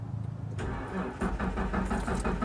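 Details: Plow truck: starter cranks with a steady, even churn but the engine never catches; no fuel delivery because the fuel pump failed.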